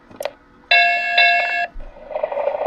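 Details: MTH Galloping Goose Proto 1 model locomotive that would not move, after repair, lubrication and reassembly, track voltage applied with the old 9-volt battery still fitted: short knock then clear steady electronic chime about a second; sound system powers up normally.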